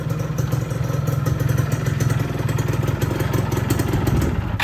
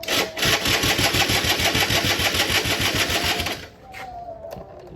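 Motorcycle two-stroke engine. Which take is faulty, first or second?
second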